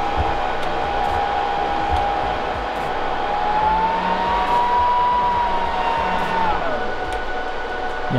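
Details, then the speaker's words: Server cooling fans under a large neodymium magnet held about 4.5 cm away during a burn-in test: steady fan whine rises in pitch, then drops away abruptly over constant hiss as the last fan stalls in the strong magnetic field. "I think the last fan just gave up. - Oh dear, that's bad..."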